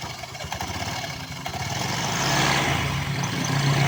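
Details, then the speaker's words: Newly bought Honda Vario scooter with a rough noise from the CVT area: clattery idle with a rattle about four times a second; the clutch lining drags instead of freewheeling and is the source of the noise. "ya kampas Ganda ini tidak bebas motornya teman-teman ini Seharusnya dalam keadaan lolos ya Nah ini Ini dia terhambat ya"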